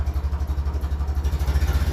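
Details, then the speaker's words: 1957 Ferguson 35 TVO tractor at slow tickover: a deep, even knock about thirteen beats a second, fine once revved. Owner suspects small-end wear from TVO-watered oil when running cold; not confirmed. "it's Grand once you give it a bit of a REV bu when it's ticking over low you hear that"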